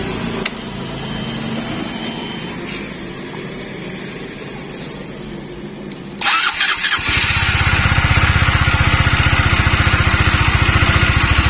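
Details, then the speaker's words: Honda CBR150 motorcycle on its third new battery in a month, battery at 12.6 V, voltage regulator not yet connected: it cranks, catches and settles into an even, steady idle with no misses or rattles; running normally. "Bisa dilihat, ini motor nyala normal."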